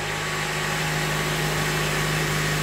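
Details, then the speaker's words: Honda Element, first start after engine replacement and restoration: it starts right up into a smooth, quiet, even idle with a steady low hum and no knocks, ticks or misses; healthy. "that started right up you can definitely tell it wants to live looks good sounds good"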